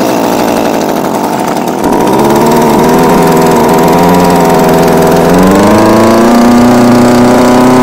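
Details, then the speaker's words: Homelite UT20042A string trimmer just after fitting replacement C1U-H60 carburettor, not yet warmed up: buzzy two-stroke wanders then surges higher rather than settling; mixture still needs adjustment. Unstable running. "now there's definitely still room for adjustment there's no reason let the Machine warm up"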